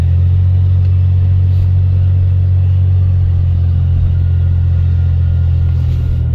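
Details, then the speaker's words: 1990 Dodge Grand Caravan LE, just revived, on test drive in snow: deep, loud steady drone under way, far too boomy; muffler leaking, more exhaust escaping from the muffler than out the tailpipe. "I think more is leaking out of the vehicle more exhaust there's leaking out of the muffler that is going out the back of the exhaust"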